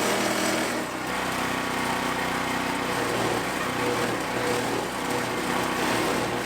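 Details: POWERHORSE 420cc wood chipper, new and on its first use with fresh 30-weight oil, chipping branches up to about 2¾ inch: the engine holds steady under load with an even chopping roar and no bogging, working properly.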